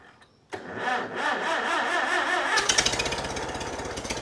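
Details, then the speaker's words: Farmall Super M tractor's first start after rebuild, out of gear, with a few leaks: brief crank, catches first try, then an even chuffing idle with no misses; healthy. "can't argue with that sounds pretty good first start first start right away"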